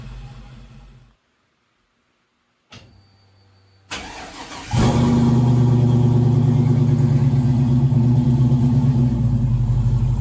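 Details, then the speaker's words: LS V8 swapped into 1956 Chevy truck, first start on modified $79 eBay Gen 3 drive-by-cable harness, cheap mufflers: cranks, catches, then lopey, cam-like idle; idle air control still relearning, should smooth out. "just has to learn iac's got to learn just has to run for a while and that's stuff will Smo right out very nice"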